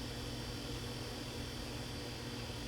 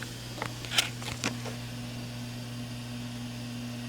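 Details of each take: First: Samsung convection oven with the noisy middle convection fan motor unplugged: only a faint, steady low hum from the remaining fan, with no rubbing, ticking or wobble, running normally. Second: Samsung convection oven on bake at 350: a convection fan motor gets loud, a steady low hum with a whirr and stray clicks. It was later replaced with part DG31-00005A.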